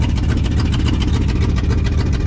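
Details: 1994 GMC 3500 454 work truck at idle, smoking, running on old bad gas and a diesel-gasoline mix, needing a tune-up: loud low rumble with sharp even chuffs; leaking exhaust donuts between the manifold and downpipe, to be replaced.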